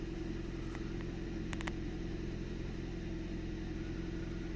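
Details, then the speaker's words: 2002 Nissan Micra K11 1.0 litre manual petrol, sluggish and lacking power, idling just after fuel filter replacement while fuel fills the new filter; quiet, even idle with steady low hum, no stumbles. "So just let it run for a minute to let the fuel go up the fuel line into the filter to fill it up, plus going into the car."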